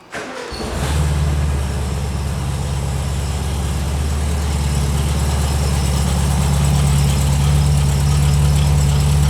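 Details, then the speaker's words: 1976 VW Super Beetle, formerly fuel injected, after filter reinstalled correctly, high choke on: brief crank then clean catch and steady even idle; still not pulling fuel on its own. "That was uneventful. Sounds good."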